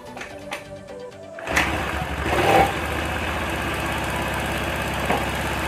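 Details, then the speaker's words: Honda Vario 110 scooter after rewinding its burnt charging coil (spul), test-started with the weak battery removed so it runs purely on the coil. After a brief crank it settles into a steady, even idle under background music. "posisi akinya saya copot jadi ini kalau ibaratnya hidup motornya ini murni dari pengapian dari spul ya"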